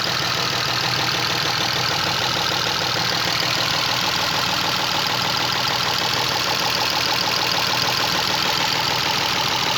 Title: работае как дизель и стучит двигатель Chrysler LHS 3.5 V6